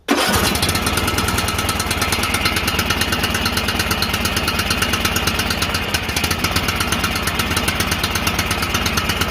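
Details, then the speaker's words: John Deere L108 lawn tractor after sitting a year: engine at high throttle with uneven, lumpy firing, sounding choked and rough; the throttle was stuck, then freed. "Got the thing on high throttle and it sounds like the thing is choked. Going have to let it run a while. Sounds kind of shitty. there. There we go. Damn throttle was stuck, bastard."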